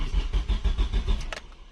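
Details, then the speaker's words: Car that cranks but won't start, with a newly bought ignition coil giving no spark and no fuel pump sound: the starter churns steadily at about six compression pulses per second but the engine never catches. The wiring needs checking first; cause not confirmed. "Насостың дыбысы да шықпайды ғой даже."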